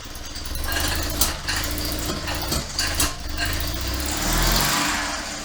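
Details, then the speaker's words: 1972 Invacar Model 70 engine idling, cowling off, after an alternator job. An uneven idle with a loose rattling slap from the flopping belts and irregular clunks, traced to a loose 27 mm crankshaft (main) pulley bolt. "i'm gonna see if i can tighten up this 27 mil bolt a bit more because that sounds terrible yeah the main pulley bolt was a bit loose"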